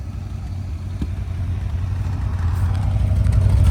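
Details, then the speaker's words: 1970s Plymouth TrailDuster with a 360 Mopar V8, first start after 21 years sitting, carburetor suspected gummed up; idling with the exhaust broken off, a loud, raw, unmuffled low rumble with an uneven puffing beat; exhaust leak. "exhaust broke off sitting there idling holy crap right"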